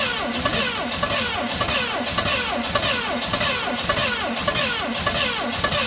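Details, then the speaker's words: 1970 Ford Mustang Mach 1 start attempt, weak battery, distributor adjusted, running out of fuel: steady cranking about a hundred beats a minute without firing; timing suspected off by a tooth. "Well, she just doesn't want to fire, guys. I believe our timing is off. I think we're off a tooth in the timing."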